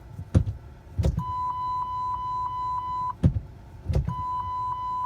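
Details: PT Cruiser CRD after fitting a new reversing switch to fix intermittent reversing lights: a couple of gear lever clunks, then a steady electronic bong repeating about three times a second; reverse chime sounds normally and reversing light works.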